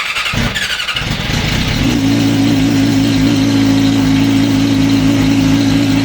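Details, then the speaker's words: Yamaha R6 track bike: starter churns briefly before the engine catches into an uneven, throbbing idle; hard starting, owner suspects valves out of adjustment, valve adjustment planned. "This is what This is what we mean by a janky startup on an R6. If it's struggling to start, it probably sounds like this."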